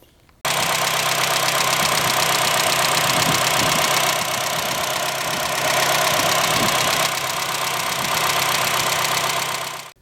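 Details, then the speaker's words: 2009 Honda Fit base, mostly stock, with a catback exhaust, idling; steady idle with fast light even ticking about four per second from loud valves, which the owner plans to have fixed soon. "So unfortunately, there is one issue with this car that I'm going to get fixed soon, and that is with the valves. They're actually pretty loud."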